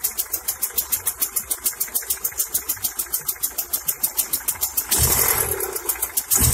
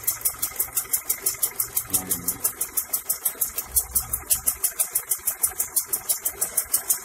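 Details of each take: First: Honda Accord Prestige, ignition timing set by distributor without a timing light, deliberately advanced: engine idles with a quick, sharp pulse at raised speed, the over-advanced timing lifting the rpm (also said to cause heating, knocking, high consumption). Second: Honda Accord Prestige idling after ignition timing was set by ear without a timing light: steady, even pulse of about three beats a second, no misfire or stumble; timing sounds correct.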